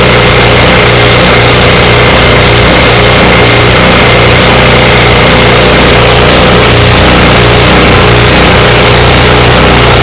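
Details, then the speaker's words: Ariens 24-inch snow blower with a 9.5 hp single, long-sitting and previously missing badly, electric-started after Seafoam treatment: holds a steady, even run with a constant exhaust note and no stumbling; running fine. "and there you have it it runs"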